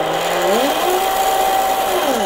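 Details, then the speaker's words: Electric RC boat (Blackjack 24) on 3S battery, stuffing tube just shortened after binding, not yet greased: clean whine climbing smoothly to steady high pitch and easing down, no rattle or binding; drivetrain runs normally. "that sounds good i hadn't even greased it that sounds nice"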